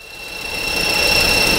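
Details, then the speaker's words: 2003 VW Polo 9N (AZQ engine), AC on: small AC condenser/radiator fan, previously not spinning, now runs with a new steady high whistle and rushing hum; fan works but is faulty, owner suspects motor brushes/contacts. "That noise wasn't there before. That's from the small fan. Yeah, that noise. It's working, but the fan has a problem."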